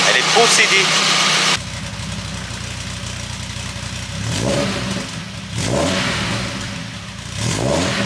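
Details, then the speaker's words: VW Golf 2 GTI with Digifant injection, after replacing injectors, injector harness and fuel filter; settles into an even idle, throttle blips rise and fall cleanly without stumbling: engine running normally. "je comprends pas je franchement je suis prosté prostné je sais même plus comment dit comme tu peux le voir la G tourne normalement"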